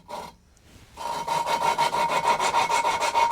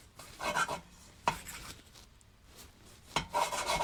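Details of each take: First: Rebuild engine cylinder head, hand-lapping a valve with coarse grinding paste and sucker: gritty rhythmic rasping about three strokes a second that smooths as resistance goes; seat forming a uniform grey edge. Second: Cylinder head valve lapped by hand with coarse grinding paste and a sucker: a rhythmic gritty rasp, about three strokes a second, smooths out as resistance disappears. The seat is bedded in with a uniform grey edge.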